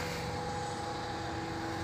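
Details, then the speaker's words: 20-year-old Erka 500 kg trailer, wheel raised and spun freely by hand: steady rough rumble with a faint constant tone, the balls audible; worn wheel bearing, about to be replaced. "voyez ça fait du bruit hein on entend les les billes"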